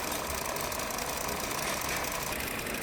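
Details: 2023 Hyundai Verna petrol BS6 automatic, also overheating, losing coolant and starting late in the morning; at idle a hard, steady tak-tak knock about three per second, suspected piston slap, not yet confirmed.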